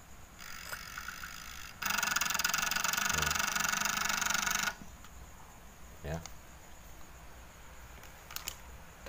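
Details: Old-model Chinese ICSITECH TV that won't turn on: harsh, loud buzzing rasp for about three seconds from inside, a very loud flyback transformer growl.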